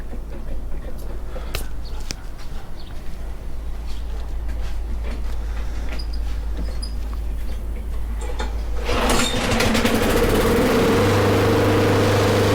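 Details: Snapper mower with Briggs & Stratton engine after fixing a no-spark fault: quiet rumble, then the engine catches near the end and holds a steady, even drone with no misfire or stumble.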